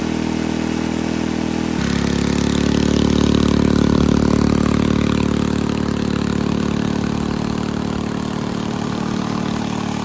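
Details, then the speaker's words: Barn-fresh Briggs & Stratton 6B-SF single-cylinder, rated 3600 rpm, air cleaner on: steady high, even, busy note after start-up; no tachometer, owner thinks it runs a little fast; reduce governor spring tension to lower top speed. "well i don't have a tachometer to check the rpms but it sounds to me like it's running a little fast so as far as the governor adjustment goes if you want to reduce the high speed rpm then you reduce the tension on the governor spring"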